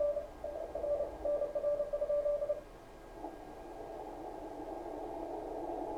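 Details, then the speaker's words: Kenwood TS-520 receiver after power cord replacement, receive check; keyed Morse tone near 600 Hz over hiss that narrows to a tight band in CW mode, CW filter working normally. "Sounds like the CW filter works. Mostly because See how much more wider that is? If you go to CW, you can really tell it narrows it down."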